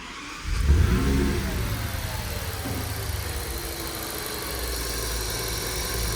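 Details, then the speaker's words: Audi S8 V10 replacement engine, first start after swap, air mass meters reconnected: uneven lumpy idle with wavering pulse and visible shaking; unmetered air leak somewhere midway in the intake upsets fueling. "see how it's shaking so it's running much the engine that was Weir"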